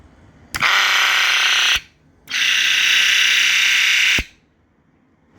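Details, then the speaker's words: Reverso oil change pump, rebuilt after failing to run and reinstalled on the port side, powered from the car battery: two steady bursts of high, even electric motor whine with clean start and stop, no grinding; pump working normally. "sounds like it's running pretty good to me that's the reverso oil pump reinstalled on the port side and she's working perfectly"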